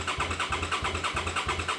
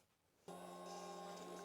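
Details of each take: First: Old motorcycle unused for years, new battery fitted, fuel pump primes: starter turns the engine over evenly about three beats per second for four seconds, not seized, but never fires; cranks but no start. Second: Old motorcycle unused for years, new battery, key turned on: silence, then a sudden steady electric hum with a faint whine; fuel pump primes normally, so the system has power.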